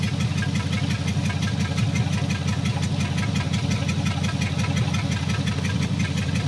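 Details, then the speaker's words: 1954 Meteor Flathead Ford V8, first run after sitting 55 years, two cylinders with stuck valves rising from zero to about 35 psi, blue smoke: low, heavy throb with an uneven pulse and shake at idle. "it's still got a little bit of a shake to the motor [Music] but that should get better"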